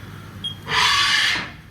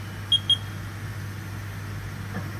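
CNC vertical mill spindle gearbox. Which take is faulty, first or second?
second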